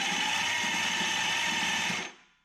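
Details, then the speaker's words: 1973 Dodge Dart with Gen 3 Hemi, cranked with starter on a nearly dead battery to free a stuck pinion gear; sluggish uneven whirring, about two compression pulses a second, slow cranking from weak battery. "What I'm going to do is I'm going to crank the engine over with the starter. And my battery's about pretty dead right now too, so it's going to turn over pretty slow."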